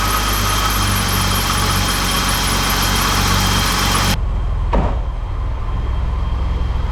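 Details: BMW E28 M30 straight-six after distributor cap and rotor replacement cured a crank-no-start (vacuum line temporarily taped): fires and runs at a steady, even idle with no stumbling or misfire.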